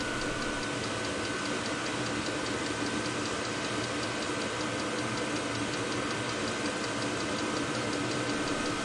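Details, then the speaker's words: VEVOR Chinese diesel heater on test run from a 12 V battery, burner lit and exhaust warming: steady jet-like burner roar with fine rapid fuel-pump ticking and faint fixed whine; noisy but not loud, normal running. "it's noisy but it is not so loud so i would say it's not too bad"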